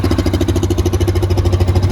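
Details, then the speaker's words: Used Yamaha Viking side-by-side UTV, black oil, cold start, checked for smoke: even, steady idle pulse, no misses, stumbles or knocks; normal cold idle. "you know if i can get there when the machine's cold that's what i like to do"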